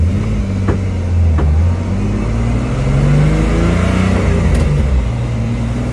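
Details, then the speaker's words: Turbocharged BMW E46 accelerating after a new turbo was fitted and exhaust leaks were fixed; the engine pulls steadily with a deep, even exhaust note and no ticking or puffing. "New turbo is on. Exhaust, everything is secure. No more exhaust leaks. It feels like a whole different car, to be honest with you."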